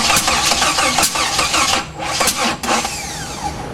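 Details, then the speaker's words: Jeep with new wiring harness and spark plugs, distributor rotor turned 180 degrees and MSD box wired direct to battery positive; uneven cranking turns into ragged firing bursts that catch and rev briefly. Engine cranking and catching, now getting spark. "That's a lot different than it ever did, that's for sure. Okay, so we got spark finally,"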